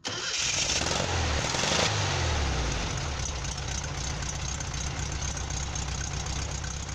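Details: After-repair test of the starter on a VW Combi (same as a Beetle) that had been failing and dragging: new bushings, greased bendix and armature ends. A short, quick crank, then the engine catches at once and settles to a steady, even idle; the starter now engages cleanly.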